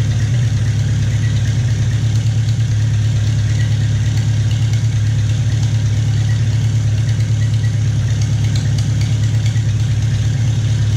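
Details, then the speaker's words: Farmall Cub tractor after piston ring install, first run: even, steady low idle, no knocking or misses, not smoking; small antifreeze leak around the head gasket. Normal idle. "and it sounds good not smoking I got a little bit of a leak around the head gasket antifreeze"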